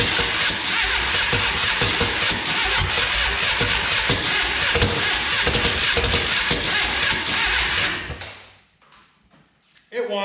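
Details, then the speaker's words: 1962 Berry Mini T kit car, VW engine, stored since 2018: fast harsh grinding crank about four beats a second, won't catch; starter teeth eaten. "let's get it off and take a look so i'm glad we stopped there when we did because you can actually see on this starter everything looks i mean you can see the teeth are starting to be eaten up right there"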